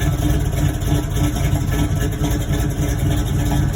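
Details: 1989 Toyota truck with swapped V8 after oil change: deep, steady, even idle with no knock or tick; less smoke than before, though some white exhaust smoke remains.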